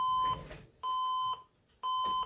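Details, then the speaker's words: Old modular desktop PC at power-on: repeating short high beeps, about one per second, error code; RAM fault, cured by running with one stick of RAM. "let's see if it'll even turn on here and right away it starts beeping with an error"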